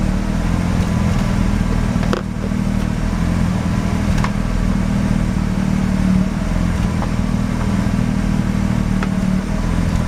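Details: Mazda RX-7 rotary, failed annual inspection with very high CO (2.70): uneven stumbling idle with occasional sharp pops over low drone; misfire worst with slight throttle; no oil pressure shown, no leaks; ignition leads already measured; cause unconfirmed.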